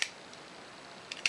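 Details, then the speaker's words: Lens of an early Pentax K1000: a handful of crisp quick metallic clicks with silence between, aperture blades snapping shut quickly and freely; normal aperture action. "quick and snappy aperture blades."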